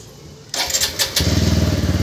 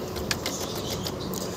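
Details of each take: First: TVS Apache RTR 160 4V with a starting problem, started after fitting a spare relay; short crank, then catches at once and settles into a steady, even idle thump: normal engine start. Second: TVS Apache RTR 160 4V, starter button pressed: only a few faint sharp clicks with no cranking and no start; possible causes given as a dead battery or a faulty starter relay.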